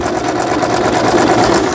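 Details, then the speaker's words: Brother VX1110 sewing machine, unused for about 10 years, after repair of the feed dog unit and shaft gears, still somewhat stiff: sewing at stitch length 4 with a quick, even stitching patter, no catching or knocking; the repair is sound. "자, 어이구, 세 개처럼 수리가 됐네요. 왜냐면 바느질 땀수가 4번에서 박음질이 된다는 건 수리가 잘 됐다는"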